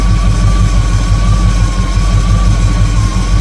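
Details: 1958 Chevrolet Apache V8 after rebuild, idling during carburetor idle-mixture adjustment by vacuum: deep steady idle with slightly uneven loping pulse and faint whistle; mixture screw not yet at best vacuum, rough idle.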